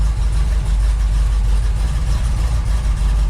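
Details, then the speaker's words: 1978 Ford Bronco, freshly rebuilt 351M V8 with Comp Cams 284HR hydraulic roller cam: deep loping rumble, choppy beat around three pulses a second, steady and even with no ticks or knocks; healthy idle. "there'll be a bit of faint and stuff burning off when you first turn on a new engine 's just been fully rebuilt with the big roller curb can't sleep this is what it's going to sound like in the curb"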